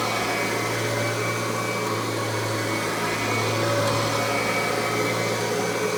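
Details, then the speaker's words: Kirby G3 Ultimate upright vacuum prototype with newer replacement transmission, tech drive self-propel switched on: steady motor roar, no gear whine or clatter; owner credits quietness to new gear ratio. Normal self-propel drive. "listen to how quiet that transmission is you can barely hear it which is one nice thing about these newer replacement transmission mostly has to do with the gear ratio"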